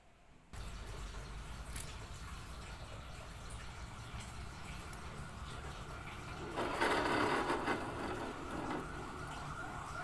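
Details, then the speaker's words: Honda Beat FI scooter, engine off on the center stand, rear wheel spun by hand: a gritty, rough rasp from the final-drive area that swells with speed; caused by a worn pulley bearing. "Katakanlah kondisi mesin mati di standar 2 roda belakang kita putar suaranya Kasar banget itu di bagian gardan asumsi pertama kita akan cek laker CVT laker puli ataukah as-nya yang bermasalah"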